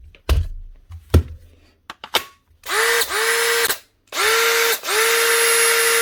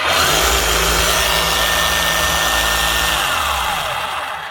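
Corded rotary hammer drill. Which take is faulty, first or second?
second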